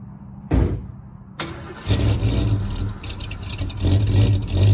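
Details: Barn-find 1969 Mustang Mach 1, 302 Ford small block with Erson cam, Holley 600 carb, choke disabled, fresh 15W-40 oil: cold start cranks, catches, settles to a lumpy cam idle with short blips; no knock heard.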